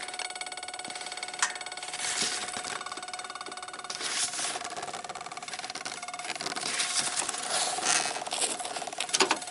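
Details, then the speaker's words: 1995 Dodge Ram 2500 V10, cold no-start in cool weather despite many replaced parts: fast, steady ticking from the relay box with key on and nothing cranking; ASD and fuel pump relays apparently chattering rather than latching, cause not yet found. "This is bizarre. So, ASD relay and the fuel pump relay are starting to wake up, I guess."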